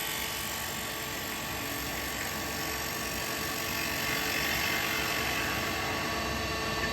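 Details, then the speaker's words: Small yew bowl on a lathe sped up to 2,800 RPM, cut with a carbide hollowing tool: high steady cutting hiss with faint quick ticking and a skip from the crack; cracked bowl blank. "Because I've got that crack, I've pushed it to its max. I can hear the crack."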